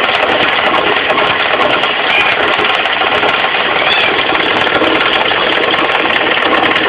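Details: 4G15 carbureted engine idling: busy, rapid knocking that tracks engine speed, from down low at the front by the crankshaft pulley; pulley had come loose, fixed by tightening it rather than replacing.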